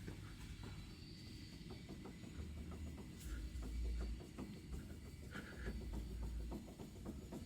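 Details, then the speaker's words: 2015 Toyota Prius, about 142,000 miles: quick, uneven metallic clicks and clunks over a low rumble as the front suspension is levered. Play in the worn lower ball joint, not the sway bar or its bushings; the other side clunks too, worse over bumps. "I hope you can hear it it's coming through the whole front because it's also on the other side as you can imagine if you sit in the vehicle you can it will be Amplified if you go over the big bump or something"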